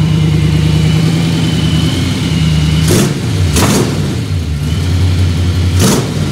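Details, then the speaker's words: 1955 Chevy V8 after fitting Magnaflow mufflers and a disc brake conversion, first fire-up; deep, even burble with a steady low firing beat and a smooth, mellow exhaust note, much better than the stock-sounding pre-muffler exhaust. "see what it sounds like [Music] a lot better how's it sound in there how's it sound that's a lot better round now okay good"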